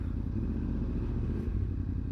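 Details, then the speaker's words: Yamaha R1 four-cylinder after replacing all four coils, battery charged, coolant topped up and oil checked: low, steady burble, no misfires, idling consistently at 1300–1500 RPM, slightly higher than before; normal idle. "as you can probably hear she's iding a little bit more higher I suppose you could call it she's iding at a consistent 13 to 1500 RPM"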